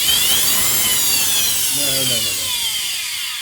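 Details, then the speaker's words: Miele C3 Complete Cat & Dog vacuum run without bag holder or pre-motor filter, switching itself into eco mode: harsh high-pitched roar full of hiss and rasp as it runs down, with a stink; armature burnt, motor finished. "Okay, so that is absolutely finished. There's no hope for this. The armature's gone."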